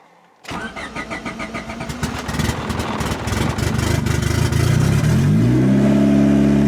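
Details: Turbocharged Honda Civic on its first start after replacing a blown eBay China turbo with a new one. The engine catches after a brief crank, settles and revs cleanly with a rising turbo whistle, no knocks or rattles. Normal start and rev.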